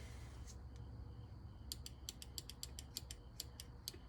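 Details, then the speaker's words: Fuel injector from the 302 V8 of a Ford Bronco, energised on the bench during cleaning of the rail and injectors for a hit-and-miss idle: sharp, even clicks, about a dozen in 2.5 seconds, as the solenoid snaps open properly. "I don't know if you can hear it, but if you watch right here, you'll see a spark. So that's actuating the solenoid inside the injector."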